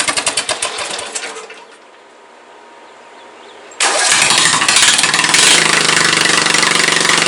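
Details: Briggs & Stratton 17.5 OHV single-cylinder mower engine just after valve adjustment, compression release working and spark confirmed: a brief start, a lull, then a loud steady run; owner believes it is still starved of fuel and plans to pull the carburetor.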